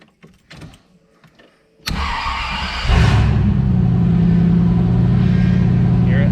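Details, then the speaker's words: 3rd-gen Camaro after a power steering pressure hose replacement: the engine cranks briefly, then catches into a loud, raw, unmuffled rumble because there is no exhaust fitted. "well you you probably could have heard it if this thing had any exhaust but it doesn't I kind of love it"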